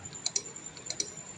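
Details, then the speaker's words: Honda Click 150 scooter with the check-engine light on that won't start: sharp double clicks from the charging/starter relay about twice a second while the engine never cranks. "Ay ang problema niya is ayan check engine siya ayaw niya mag-start. Pumipitik lang yung kanyang relay."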